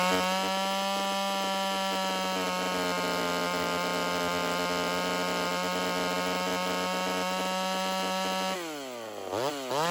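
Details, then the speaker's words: Rebuilt vintage Homelite Super XL 130 chainsaw, first start, not yet warmed up: high-speed screw set very rich, then leaned while revving. Rough burbling clears to a cleaner scream, then gargles again when richened. Should end slightly lean. "I'm going to make it super rich real fast, and then as I rev it up, I'm going to start leaning it out until it starts smoothing out."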